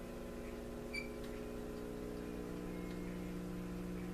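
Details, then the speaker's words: Motorola 56CC clock radio that tried to burn up, powered on reduced voltage (around 90 V) with tubes glowing: steady low mains hum of stacked tones, no program audio, drawing little current; filament voltage suspected faulty. "Alright, I can hear it now, it's humming. So it's not using very much current."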